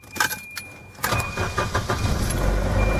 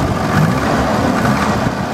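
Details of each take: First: Volvo wagon, M46 gearbox, turbo, just after oil change and crank pulley swap: starts and settles into a fast idle with light regular top-end valve tapping, softer than before; improved, revs responsive without bogging. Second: Volvo turbo wagon (M46 gearbox) after a fresh oil change and a replaced failed crank pulley, valves now less tappety, revved stationary: it picks up smoothly with a steady rise and no stumble or bog. Clean throttle response.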